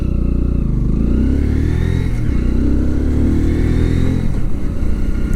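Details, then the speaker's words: Kawasaki Z125 Pro rental motorcycle, riding on national road around 60 km/h; buzzy single-cylinder note rising and falling with throttle, light cute whirring "hyuru-hyuru" sound on top, no knocks: normal healthy engine. "わかりますかね。なんかちょっとヒュルヒュル言うような音がするんですよね。可愛らしい感じの音がします。"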